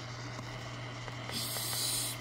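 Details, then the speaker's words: Choyong LC90 radio tuned to Voice of Türkiye on shortwave at 11785 kHz: hiss with a low hum and faint ticks about twice a second, present even at low volume; internally generated, found to be the radio's own Wi-Fi. "not there so it's internally made by the radio some kind of internal main noise or something if I put the volume down there still there"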